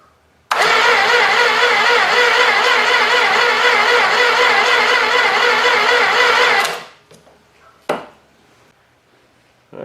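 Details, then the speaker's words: Old 318 engine sat for a long time, better jumper cables on, carb spray added: steady loud starter churn, about two pulses a second for six seconds, no firing; coil spark found weak; cranks, no start, weak ignition spark. "right it doesn't seem to be popping so I'm just going to do a quick check make sure I've got spark"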